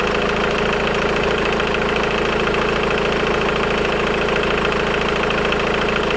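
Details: Engine idling: constant fast metallic rattle persisting over 3 minutes after start, even when revving; timing chain stretched and tensioner collapsed.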